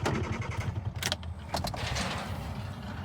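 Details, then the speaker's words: 1988 Suzuki Samurai with an empty tank just refuelled and a fuel gauge that stays on empty: quick steady cranking for about a second, then clunks and silence with no firing; owner suspects no fuel reaching the carburetor. "I'm just cranking it over to see if the vehicle lift pump will fire up the vehicle not there so"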